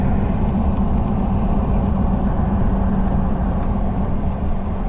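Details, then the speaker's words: 2020 Jeep Gladiator Rubicon V6, 40K miles, test driving after fixing a multiple-cylinder misfire traced to a dead cylinder 2, long-term trims reading 0: an even, steady engine note under road noise with no stumble or miss. Running normally. "Well, so far we're about an 1/8 mile from the house and it's fixed, so we'll get back with you."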